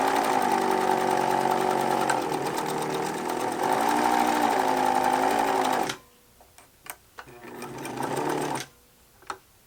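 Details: Pfaff 801 sewing machine after swapping in the Pfaff 807 motor, running at speed then stopping: a rough pulsing hum about 3.5 times a second. Likely a flat spot on the rubber drive wheel left pressed against the hand wheel. Suspected, not confirmed.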